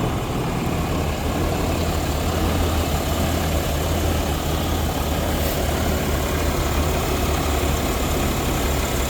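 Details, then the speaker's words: Truck started after a coolant system repair, being checked for leaks and left to heat up and pressurize: steady low rumble with an even beat and no knocks or squeals. This is a normal idle. "Probably should have just auto started it, but so far so good. We'll let it heat up a little bit, pressurize."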